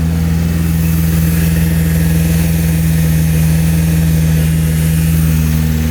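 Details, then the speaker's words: 2012 Chevrolet Camaro V6 idling after alternator and serpentine belt replacement, charging well: smooth steady idle, even low hum, no squeal, chirp or whine from belt drive; normal idle. "It's exactly how it was when I first bought it. I don't hear any crazy sounds."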